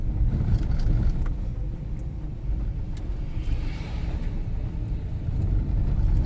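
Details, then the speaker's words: Fiat Strada with a front-end knock after two steering racks, now fitted with a new TRW steering rack and tie rod end: driving down and up a cobbled street gives only road rumble and faint trim rattles, with no front-end knock. "Já desci subi que várias vezes sem barulho nenhum"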